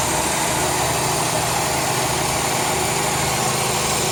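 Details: 2002 Chrysler 300M at steady idle: constant airy hiss over the engine, a vacuum leak from a failed intake manifold gasket.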